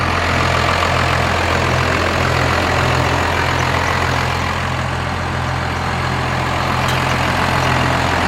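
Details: First-generation dually diesel truck after a new starter install and work on the fuel shut-off solenoid: a steady, even diesel clatter with a smooth low rumble and no misses or knocks. Normal idle.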